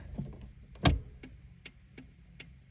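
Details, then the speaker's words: 1985–1988 Toyota pickup/4Runner green flasher relay after snipping out its capacitor to cure hyper-flash: crisp, evenly spaced relay clicks at a relaxed steady pace with no rapid flashing. The turn signal flasher now cycles normally. "Boom, start to finish. Hope this helps. Get those slow blinkers back."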